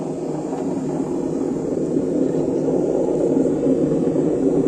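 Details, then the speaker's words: Samsung 7 kg diamond-drum washing machine, empty drum on spin: a loud, steady, rough roar like a passing plane, reportedly ten times louder when loaded. This is the sign of worn drum bearings. "bir durum olduğunda bu ses Kazan bilyasının dağıldığını gösterir"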